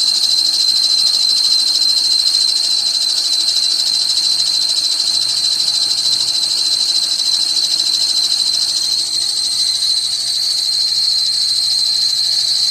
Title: Pulley noise on '99 Dodge Caravan.